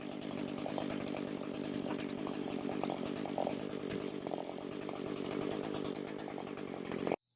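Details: Echo SRM 225 two-stroke string trimmer with hard starting and oil leaking, checked for crank seal or exhaust gasket leaks: steady high-speed buzz for about seven seconds with no appreciable RPM drop, running clean, no leak indicated.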